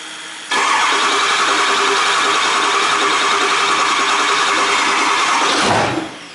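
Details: Ford F-350 with a newly installed 6.0L diesel, first start after adding oil and coolant. The engine catches at once and runs steady and even with no knock, squeal or rattle, then shuts off. Sounds healthy.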